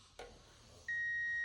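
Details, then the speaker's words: Crepe machine repair: multimeter continuity test on the power switch, red probe on red wire, black on blue, switch turned on. After a click a steady high beep holds, reading near zero, so the switch conducts and works. "And you can hear the beep noise, so that means that this switch is working."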